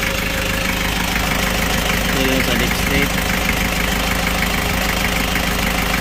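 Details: Kia Bongo Frontier 3.0 JT diesel at steady idle with a rough repeating knock about three a second; engine also overheats (no shroud), low power, black smoke, bad injector calibration; general overhaul due.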